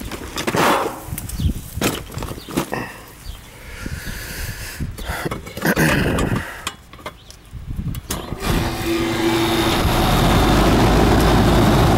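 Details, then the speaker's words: Older Carrier central AC outdoor unit, one of two not cooling a house, starts after rewiring (blue to herm, brown to fan, yellows to common); steady, even hum with no buzzing or stalling, running normally with superheat where it should be. "Yeah, this one's working good. We're right where we need it on a superheat, so we'll check the other one."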